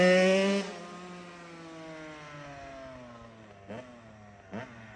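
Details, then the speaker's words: Kawasaki KX85 two-stroke after water pump and case seal and gasket replacement ended fluid leaks; sharp rev dropping away cleanly, then two crisp throttle blips over a steady idle, no stumble; smooth and strong. "It's nice and smooth now and it takes off. You're not taking it easy, or were you not expecting it to be that strong? Nah, I never take it easy."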